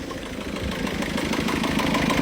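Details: 1.6 HDI diesel idling after starting, following a timing failure on the motorway; leaking, loosely tightened injectors were refastened: a fast, sharp ticking clatter over the engine note. The cause is suspected, not confirmed.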